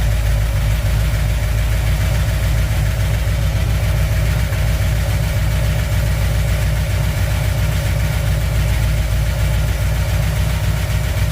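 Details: 1959 Chevy El Camino V8, first start after fixing overheating damage, cold, water temp just rising, good oil pressure: steady idle with faint irregular tapping that settles as it warms. Owner suspects a dry cylinder.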